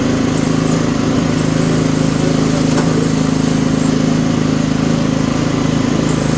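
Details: Toro 724 OE 1000 Series 7 hp 24-inch snowblower engine, started with fuel on, throttle and choke set: steady, even drone with no skips or knocks; runs smooth and healthy.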